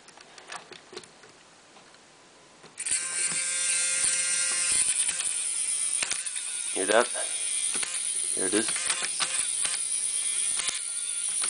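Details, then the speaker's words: RC tractor drive motor shredded a gear at about 0.3–0.4 kg pull: high motor whir with rapid, irregular ticking as it slips over the broken gear, usually one of the final gears. "So obviously there's a broken gear in there somewhere, and that's it just slipping over on it."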